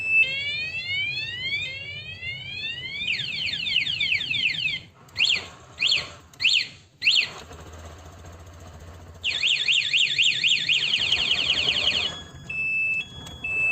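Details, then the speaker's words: Aftermarket HD remote alarm on a 2022 Honda Beat: loud warbling siren sweeping up and down in repeated bursts with short chirps between; anti-theft alarm triggered, engine can't be started while it sounds. "Jadi kalau alarmnya diaktifin seandainya motor ada yang bobol kunci kontaknya meskipun dengan kunci kontak aslinya sekalipun mesin motor tidak akan bisa dinyalakan selama sirine di motor masih berbunyi"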